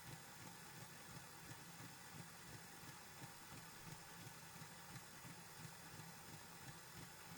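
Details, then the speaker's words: Golden Valley Hobbies Janus 0-6-0DE model shunter after a couple of hours' running in, running in the other direction: soft regular thud about 87 a minute over the motor drone, still rocking slightly; cause unknown. "so we will check into the other direction as you can still hear it still has that slight thudding sound"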